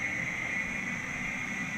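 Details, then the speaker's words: 1982 Matsuura CNC mill with Centroid control retrofit, the three cooling fans in the top of the new electrical sub panel: steady even airy rush with a constant mid-high tone, no rattles or surging; fans pretty noisy but normal. "They're pretty noisy, but you can feel a breeze."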